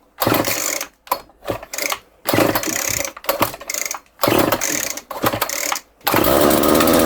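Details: Homelite two-stroke string trimmer, started with choke on. It fires in uneven bursts, revs climb out of control, then it dies repeatedly. The owner suspects a vacuum leak at the rear, where the screw holes are stripped; not confirmed.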